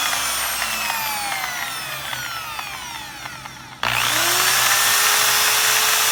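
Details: Electric drill that did nothing, after repair with the switch rewired direct, now runs in one direction only; chuck damaged with play; whine winds down then snaps back to steady high pitch, no grinding; normal running.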